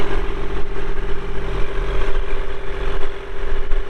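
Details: 2016 Kubota L2501 4WD hydrostatic compact tractor with LA525 front loader, 162 hours, at idle: deep, steady diesel thrum at an even idle with no knocks or misses; the engine sounds healthy.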